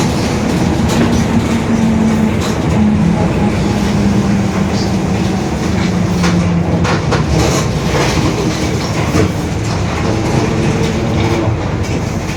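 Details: Marcopolo Torino S bus, 2021, Mercedes-Benz OF-1721 BlueTec 5 chassis, lengthened, urban service; low droning growl rising and falling with road speed under engine and road rumble; growling differential.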